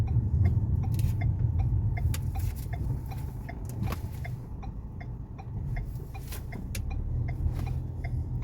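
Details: Ford Fusion with noise over bumps, straight and when steering, whose steering box other shops had condemned: light knocks about three a second over low road rumble while driving; a loose front brake caliper clunks over bumps.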